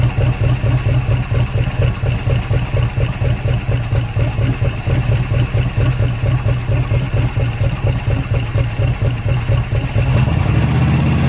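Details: Derelict Dodge D150 pickup V8 fired up after long storage, with fuel poured in and the fuel line disconnected because yellow scuzzy fuel is coming out. Deep, lumpy idle with an uneven beat around two pulses a second, stumbling and surging: rough running.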